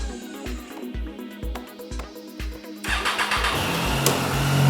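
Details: Triumph Daytona 675R sport bike with a brand new battery that wouldn't start (only clicked): engine fires right up cleanly and settles into an even run; charging then measured 14.35 V, fine. Mechanic suspects the battery was never fully charged.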